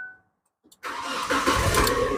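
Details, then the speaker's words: Old Naza Citra after repair of a damaged fuel injector wire (injector fuse kept blowing) and replacement of a failed electric fuel pump: a short crank, then it starts on the first try into a steady idle. The idle RPM is low, with a slight idling problem. "Kita sudah ganti elektrik pump motor dan kita try start lagi. Alhamdulillah oke sudah. Oke ya, one kick ya."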